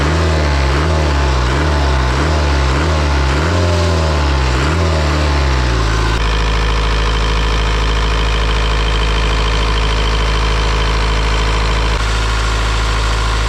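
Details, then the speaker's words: Isuzu 4-cylinder 60 hp diesel from an air compressor, possibly only 60 hours of use, just revived. Deep, steady idle that settles from a wavering high idle into a smooth even beat with no miss or smoke; healthy. "This thing runs like it's brand new. It honestly runs slightly better than the one that's in my skid steer, and I would say it runs perfectly."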